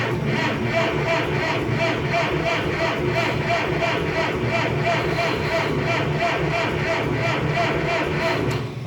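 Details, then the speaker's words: Old "Minnie" propane engine without a muffler, after water-jacket bushing and capillary part work; even cranking about three per second that never fires, won't start because the choke wasn't set. "know what it's been so long i forgot to pull the choke in or out come on baby"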